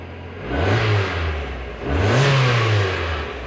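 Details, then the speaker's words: 2002 Mazda MX-5 Miata, first start after ECU repair (faulty front coil driver), new spark plugs: picks up cleanly on two short blips and settles, smooth, no misfire; sounds much better, fixed. "so let's go for a start turn that off oh yes sounds good"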